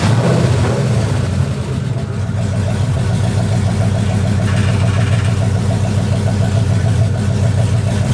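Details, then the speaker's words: 2004 Dodge Ram Rumble Bee fitted with a 6.1 HEMI from a 2006 SRT Charger, first start-up after the swap, running a little hot: a deep, steady, lopey V8 burble with no ticks or knocks. Sounds healthy. "all right so we got the we got the truck up and running as you can see sounds pretty dang good"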